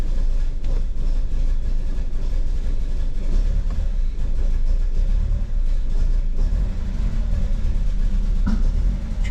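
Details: 2009 Ford Fusion 2.3L, after cam position sensor and cylinder head temperature sensor repairs: uneven lumpy idle sagging and nearly dying, needing throttle to stay running, smoother at higher rpm; apparent misfire, vacuum leak from a faulty intake manifold; rough, stumbling idle.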